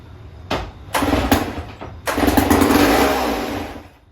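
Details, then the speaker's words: Vintage Sears chainsaw from a swap meet, plug refitted, starting fluid sprayed into the carburetor: several cranking pulls, then it catches and buzzes briefly before dying, running only on starting fluid; later with gas it won't start, so carburetor gets inspected. "Okay, she will run. So I'm gonna clean that tank out a little more and we'll put some fuel in it and see if it's gonna go."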